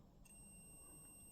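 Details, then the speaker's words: Honda ST90 motorcycle wiring test: steady high electrical buzz as power is switched on, identifying two wires as indicator circuit; turn signal flasher working. "can hear it buzzing so we know them two wires now are indicator well indicators or turn signals depending on where you come from"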